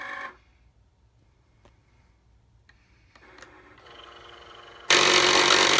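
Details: Cricut craft cutter during operation: quiet ticking and humming, then abruptly a loud, harsh rasping roar.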